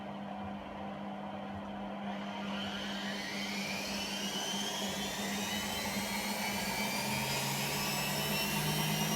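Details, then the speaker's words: Hotpoint Aquarius WMA32 washing machine after repair (TRIACs replaced, damaged motor tacho cable soldered), empty drum: smooth whir climbs steadily in pitch as the drum ramps toward a 1200 spin; clean, even normal spin. "should be going for a 1200 spin that's so excited too one even faster now"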